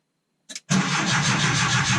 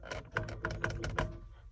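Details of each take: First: 1980 air-cooled Volkswagen Westfalia (automatic) with a Porsche 911 starter fitted: brief crank, then the engine catches at once and runs steadily; normal healthy start. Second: Air-cooled VW Vanagon Westfalia, battery known good: starter gives irregular clicks and weak, uneven thuds, engine never turns over freely, sounding like a weak battery; sticking starter drive (Bendix), starter to be removed and cleaned.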